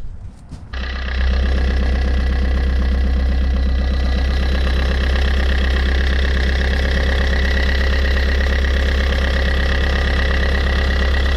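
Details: Fiat 500, engine restarted with alternator belt removed: brief crank then steady even idle with no scraping or squeal, confirming the noise came from a failed alternator bearing.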